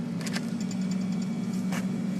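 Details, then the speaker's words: Central air conditioner outdoor unit powered up at 246 volts with its run capacitor missing: the compressor gives a steady low electrical hum as it tries to start but never catches and runs. "you might hear the compressor humming trying to start but without the capacitor it's not going to be able to"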